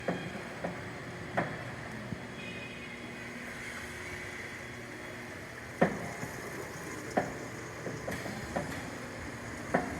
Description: Knocking sound from 4100-35fa ser#070220-4135